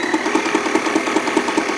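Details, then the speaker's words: Sailrite LSZ-1 sewing machine after upgrading to a new WorkerB motor, running at full speed with a fast, even chatter of about five stitches a second and a steady motor hum; it runs smoothly. "Right now, I said it's at full speed. You don't have to step on it all the way."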